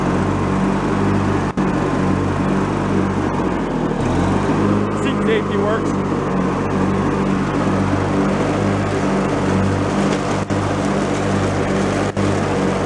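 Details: Free, previously derelict Craftsman riding mower, function check after electrical and safety-switch repairs with spindles checked not bent: steady engine drone with the deck spinning evenly, no grinding or squeal. Deck fairly quiet, bearings not noisy, runs normally.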